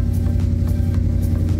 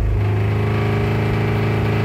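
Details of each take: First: Coyote-swapped Ford F150 after HP Tuners remote tune: low, even idle with steady hum and soft pulses, no hunting; RPM no longer drops right after start, now slowly settling like a normal truck. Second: Ford F150 with Coyote V8 swap, first HP Tuners remote-tune datalog pulls held 10 seconds at 2,500 then 3,500 rpm: rough, uneven with many pops and bangs; misfire.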